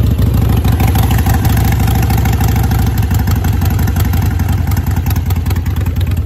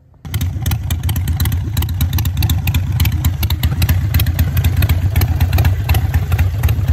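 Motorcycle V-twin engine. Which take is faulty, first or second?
first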